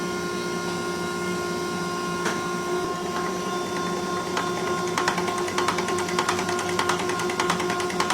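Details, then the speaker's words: Rebuilt Roosa Master DBG rotary injection pump (DBGFCC6371DH upgraded to 6372DH) for a 1968 Minneapolis Moline G900 tractor, running on test bench with lines hooked up after bleeding air: steady drive hum, even ticking pulses about 1.5 per second; pumping normally. "it. Oh, he's pumping. That's always good."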